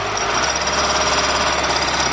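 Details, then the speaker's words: Ford 2.0 OHC petrol engine in a Ford Transit: fast sharp metallic ticking/knocking from the top end near the camshaft sprocket; valves already adjusted and ruled out, cause unknown. "вот такой вот звук скрывал клапанную крышку регулировал клапаны дело не в них стук откуда-то в районе звёздочки"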